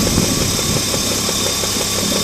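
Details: Alpina Roadster at idle: light, regular knock ticking several times a second over a bright engine hiss, knocking getting louder; cause unconfirmed.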